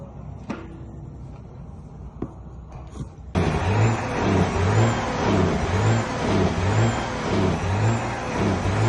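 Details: Detroit 12.7 diesel: deep rumble with an uneven, lopsided thump about twice a second once it fires; engine misfire.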